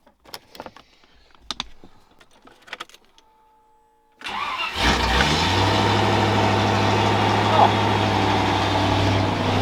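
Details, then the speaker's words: V8 Land Rover Discovery 1 after the starter motor was replaced: a few clicks, a short crank, then a clean catch into an even idle with no squeal. The alternator is still doubted. Normal start and idle. "and it isn't squealing that's like double word"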